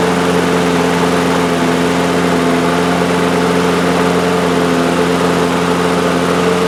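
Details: DeWalt lawn mower with Briggs & Stratton engine, 2 years old, after work to cure overspeed. A steady, even engine drone holds one pitch with no hunting or surging; normal running speed.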